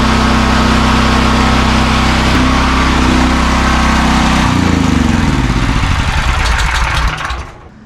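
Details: New AGT 12 kW (9 kW continuous) generator, first startup after assembly with fresh oil and fuel: steady even engine drone with smooth fast beat, no knocks or misses, dying away at end; normal running.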